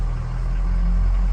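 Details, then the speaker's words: 2003 Ford Excursion Eddie Bauer, 6.0 turbo diesel, 153,901 miles, just after cold start. Steady, even low diesel rumble with no knocks or misses; smooth, healthy idle. "Engine sounds healthy, and the truck drives great."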